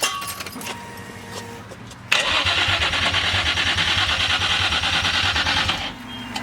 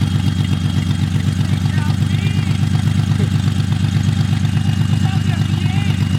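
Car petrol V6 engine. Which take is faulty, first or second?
first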